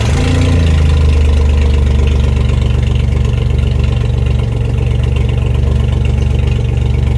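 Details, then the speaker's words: 1992 Dodge D150 pickup, started after a week sitting, during gas tank strap repair: low, smooth, even idle with steady beat and no misses, knocks or surging; sounds healthy. "okay that sounds pretty good to me all ready"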